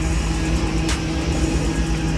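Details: 1986 Chevy Caprice box body, bought used, at first start: loud, lumpy, uneven rumble with a raw exhaust tone under music. Runs rough; an exhaust leak is suspected.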